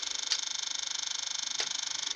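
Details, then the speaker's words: 2009 Kawasaki Ninja 650 won't start: pressing the start button gives rapid thin relay chattering, about twenty clicks a second, with the F1 light and headlight on but the starter motor not turning. Owner was told of a throttle body problem at start-up. "You can hear clearly the relay clicking, you know, so this got enough power. It's not that she hasn't got enough power, and the power's going, you know, away from the battery towards the starter motor, but it's not, the starter motor isn't kicking in."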